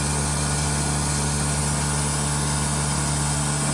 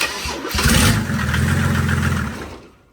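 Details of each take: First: Mercedes 190D drag car with an OM606 swap and a newly fitted Bosch 044 electric fuel pump, first priming test after new fuel lines: a loud, steady droning hum at constant pitch with no knocks or surges; normal electric pump priming. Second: Mercedes 190D drag car, OM606 diesel with Bosch 044 electric fuel pump: starter churns about four turns a second for a couple of seconds, never fires; pressure at 20 PSI but lift pump disconnected with pin still in, shooting fuel, so no start.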